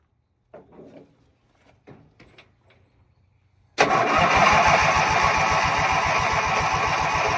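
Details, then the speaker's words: Ranch King lawn mower that dies when warm: the engine catches and runs at a steady, even chug. Owner suspects vapor lock or a bad ignition coil, and an inline spark tester showed no flash; engine dies when warm. "Whenever it starts bogging out, I'll take this off. If it starts going back to normal, I'll know it's vapor locked."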